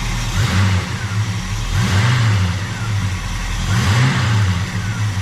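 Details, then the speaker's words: 1987 Chevrolet El Camino SS with Edelbrock 4406 carburetor whose accelerator pump doesn't work properly, rebuild pending; heard from the back: three quick throttle blips rising cleanly and returning to a steady idle; it sounds good. "You can hear it. It sounds good."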